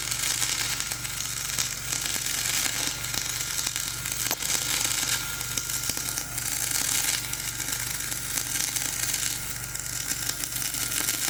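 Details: Dual-shield flux-core welding on a preheated outrigger pad, voltage up half a volt, Trailblazer one notch up on rpm: loud crackling sizzle with uneven spitting, not laying down cleanly; welder suspects running over the high, ropey stick weld underneath.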